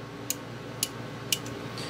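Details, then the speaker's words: Antique Seikosha wall clock movement, spring being wound with the key: crisp metallic clicks about every half second. The click catches the ratchet cleanly and holds the spring; this is normal. "But when you wind with this key, if the click, when you hear that clicking sound,"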